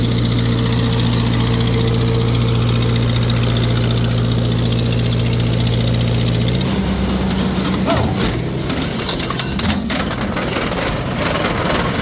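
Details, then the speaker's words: Farmall 350 row crop tractor under dyno load, 35 hp at 500 rpm PTO: a steady drone with a sharp puffing tick on each firing from a cracked exhaust manifold that had been JB-welded. "Yeah, you can really hear it that it's the exhaust manifold's got a crack in it. They tried to JB weld it."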